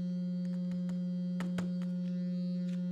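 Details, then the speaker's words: Framework laptop speaker playing a steady low tone with a harsh, rasping buzz like an electric razor: speaker rattle distortion from roughly 150 to 300 Hz. "and it sounds kind of like a it sounds like a um electric shaver it sounds like a phone I mean razor I mean electric razor"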